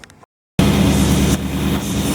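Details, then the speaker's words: 1929 Chrysler 360 with Edelbrock AFB carburetor, after fixing rich-running passenger side (bent metering rod straightened on lathe, plugs fouled): even, steady idle, no hunting; vacuum rock steady, previously fluctuating; running much better. "Well, there it is. Idling good. My vacuum is good, rock steady. Before it was fluctuating quite a bit. You can hear it's running much better."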